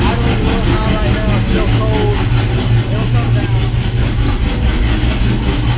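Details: 6.0 swapped Cateye truck with BTR Truck Norris cam, after replacing lifters with drop-in lifters: loud, steady, deep idle with even beat and no ticking; earlier lifter noise at driver's side first cylinder is gone, sounds healthy.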